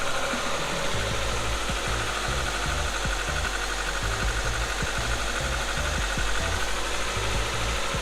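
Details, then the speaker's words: Engine at idle just after a cold start with irregular light knocking from the top end, only when cold; owner suspects a stuck valve adjuster (cam follower), to be replaced; not confirmed. "I don't know if you can hear it, but there's like a knocking sound. So I hope you can hear it, the knocking sound that I mentioned. So it only happens during the cold start, so that's why I reduced it to the valve adjuster being stuck."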